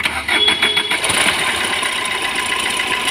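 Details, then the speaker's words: Fiat Punto diesel: fast light rattling from the timing side right after start-up, settling into busy chatter at idle; worn water pump bearing, fixed by replacing the water pump. "इस कर में जब हम गाड़ी को start करते हैं तो टाइमिंग वाली साइड से कुछ रेटिंग आता है"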